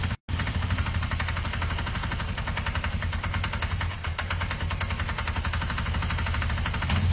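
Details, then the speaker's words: Rapid, steady ticking clatter through the engine at idle, rising with revs; engine revs fine without lacking power, and the owner thinks it may just need fresh oil. Cause unknown. "I don't know if you learnt that it's quite an engine knocking sound their idea to check the oil"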